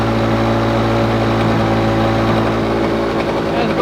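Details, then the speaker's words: Lawn Boy two-stroke mower, previously running very rich with low revs; mixture screw opened half a turn, throttle/governor closed a couple clicks: steady even drone, no surging, revs noticeably low from governor setting; to be opened three clicks. "I'll open it up another three clicks and see if we can get to r a bit higher it's noticeably lower now"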